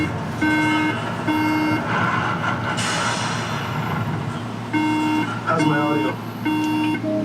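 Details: iMac with 4 GB stock Elpida RAM plus added 8 GB Kingston DDR3 1333 at power-on: repeating groups of three mid-pitched beeps, memory error code; mixed brands wouldn't coexist, fixed by removing stock modules.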